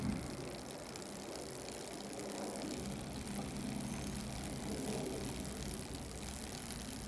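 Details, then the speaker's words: Fuji Sportif 1.5 road bike after cleaning the filthy chain (cause of the popping/clicking), cogs and derailleur pulleys: soft steady whir of chain over cogs and jockey wheels, no clicks or pops; drivetrain now quiet. "but the chain the chain was the key it was filthy in causing that to kind of stick and you know kind of kind of pop and everything"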